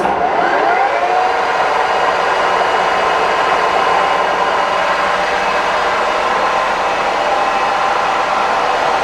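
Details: K&T milling machine, first run after restoration work: spindle at 1660 RPM. A steady gear whir holds one pitch, with no knocking, grinding or rattle; it runs normally and sounds good.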